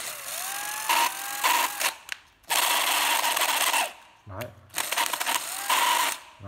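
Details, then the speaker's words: Makita 12V drill-driver, bare tool: short bursts of motor whine with a thin high squeal over each pull; gearbox dry, needs opening and cleaning. "đấy nó hơi bị rít nha mọi người hơi bị rít về mọi người mở ra vệ sinh tr giào mở rồi"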